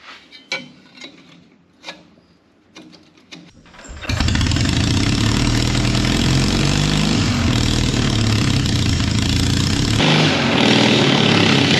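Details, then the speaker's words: 1939 Caterpillar D4 with a D4400 diesel, first start after bench-set injectors, with a break-in stack fitted: a few taps, then a steady even idle with a slight pop; one injector seeps a little; normal start and idle. "so it sounds good it's got a little pop I got a little bit of a seep on one injector I need to fix up no big deal"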